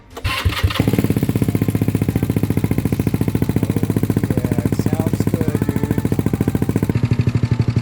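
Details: Vitacci Champion 200 single-cylinder, first start after engine rebuild with new 63mm big bore kit (169 to 180) and custom head, variator/CVT not yet fitted: catches after a few cranks, settles into a quick crisp even putter; running fine.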